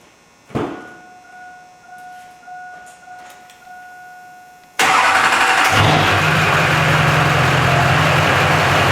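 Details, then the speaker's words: Chevrolet Silverado after installing a new alternator and pulley: a few quiet clanks, then cranks, catches quickly and settles into a steady, even idle with no belt squeal; normal idle. "okay so everything sounds good"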